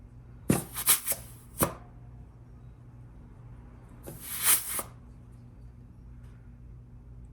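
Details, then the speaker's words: GM 4L60E rebuild, forward drum overrun piston air check with the forward piston plugged by a finger: two short air bursts, each with a soft apply thump and no lingering leak hiss. The piston seals are good. "So you want to plug your forward piston with a finger and then introduce air and listen for the apply."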